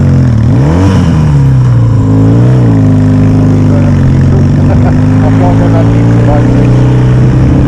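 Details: Yamaha XS650 twin on a spring test ride after carb manifold replacement and air pod setup, with the air leak believed to have caused the left-side popping now fixed: a deep, even burble rises cleanly through the revs with no popping or misfire, running normally.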